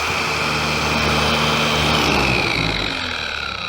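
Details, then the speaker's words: Harbor Freight Bauer 56367 20 mm DA polisher, before backing-plate upgrade and regreasing, at fastest speed: fast motor whir with coarse shaking buzz; vibrates significantly even on speed one, worse at top speed. "so when you run it here this is on speed one and you can see my hands it it vibrates a pretty significant amount and you turn it up to the fastest speed and it's even worse so"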